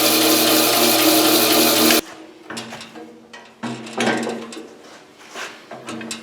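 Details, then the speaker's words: Bandsaw with new tires, after adjusting the lower blade guide that was rubbing: brief even steady whir with no rub or tick before winding down; runs clean. "so I made those adjustments let's turn it on and see if the noise is still there"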